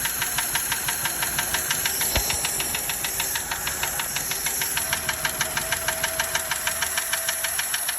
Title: 1936 Daimler Light 15, finally running… don’t like the ticking noise though. #daimler #prewarcars